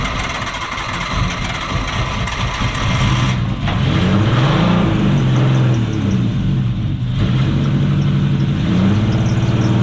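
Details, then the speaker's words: Nissan Cefiro with RB25DET turbo straight-six, which has had a mysterious miss, idles and revs with an uneven, lumpy beat and dead-cylinder stumble; one coil pack wire found cut, so no spark on that cylinder. "so patchett has just found the whole reason why this car is not [ __ ] firing and why is that this is ignition timing for thunderstorms yeah the wires cut"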